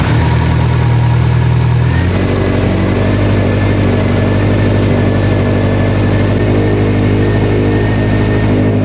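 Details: Built Subaru STI engine first start after fixing swapped cylinder 1 and 3 plugs: catches, settles from high fast idle into steady even lope, no knocks or misses; 90 PSI oil pressure, small coolant leak at manifold-to-up-pipe.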